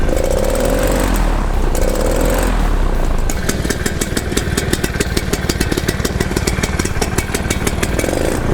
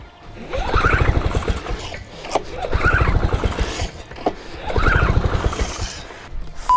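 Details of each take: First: Paramotor two-stroke on test run after engine problems and an exhaust that rattled loose. It revs up and settles into a steady, even beat with no misfire or rattle, in the rain. It sounds much better and is running healthy. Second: Paramotor on pull start after re-priming: it turns over in bursts of rapid chuffs but never catches; the owner thinks it is flooded, and petrol is leaking out.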